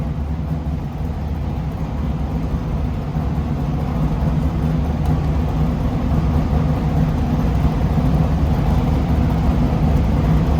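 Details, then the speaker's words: Race car being prepped for King of the Hammers after finalizing dry sump system: deep, even engine note holding steady and building slightly on rev, no knocks, misfires or rattles; no oil comes out, running healthy. "I think that's pretty awesome because I revved it up, no oil comes out. I'm pretty excited."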